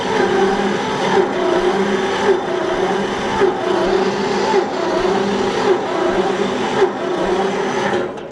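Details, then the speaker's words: John Deere 70 tractor, not started in years, choke pushed in and throttle opened: steady starter whir with slow pulse about once a second, engine never catches; owner suspects insufficient spark. "That's a little bit more cranking than I like to do. I know it hasn't been started in a long time. You're gonna have to crank it."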